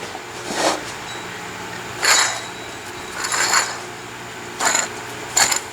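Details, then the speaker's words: 1998 Jeep TJ Wrangler front hub bearing removed and shaken by hand: bright metallic clinks and rattles in short bursts from a worn, loose bearing, likely the clicking and growling heard driving after a driveshaft install. "That shouldn't be that noisy. You hear it when you drop it on the ground, it clanks. That's probably the clicking noise and growling I heard."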